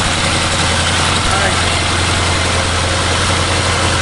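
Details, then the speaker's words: 2016 Bentley Continental GT after engine installation: smooth, even idle with steady low hum, no knocks, misses or ticks; running like a charm; normal idle. "It's like running like a charm. Happy face."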